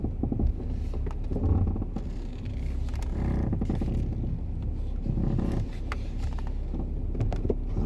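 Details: BMW 340i F31 xDrive with 12,000 km, phone in left door pocket: low driving rumble with scattered sharp creaks and clicks from the front left wheelhouse area, worse at slow speed and when turning, getting worse; cause unknown.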